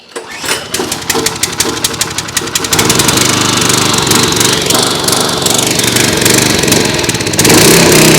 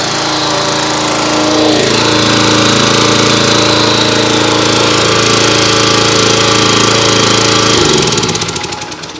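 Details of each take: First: Simpson pressure washer, Kohler SH Series engine, after an ultrasonic carburetor cleaning, on fresh 87 octane fuel with stabilizer and water hooked up: pulls over into a busy, uneven run with an unsteady beat. It only runs on half choke, indicating remaining carburetor issues. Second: Simpson pressure washer, Kohler SH Series engine, after a second ultrasonic carburetor cleaning: holds a steady, even drone with no choke and no stumbling, then winds down cleanly at shutoff. Normal running.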